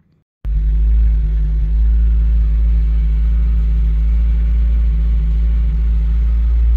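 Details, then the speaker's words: Citroen ZX, fuel tank reportedly rusted inside, previously struggled to idle, first run: after starting it settles into a deep, steady, even rumble with no knocks or misses. Normal idle. "all that's good sounds good as well so it does run"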